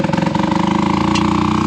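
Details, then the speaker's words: Old three-wheeled Harley-Davidson golf cart on a chilly day: electric starter motor spins fast and steady for 40–45 seconds with only occasional pops when throttle pressed, engine not firing; hard starting when cold. "the engine has not been firing over and it just barely started popping from me stepping on the throttle so you can hear the electric motor just spinning with an occasional pop"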